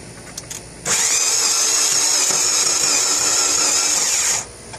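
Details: 1997 Mazda 626 after overheating, abnormal cranking: a high steady whine for about 3.5 seconds, then it cuts off without the engine firing. Cause not determined.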